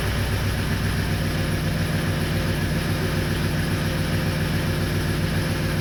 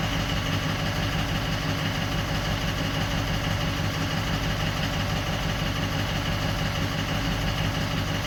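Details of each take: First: 2004 6.0L Powerstroke diesel with a crank-no-start issue, started with the ICP sensor unplugged: steady low clatter with an uneven, loping idle. Injection control pressure is stuck around 1400–1500 psi, too high for idle. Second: 2004 Ford 6.0L Power Stroke diesel, previously crank/no-start with injector bank dropout starting at injector 7; after the damaged wiring was spliced out the symptoms are gone. Steady, even idle clatter, no stumbles or misses: normal idle.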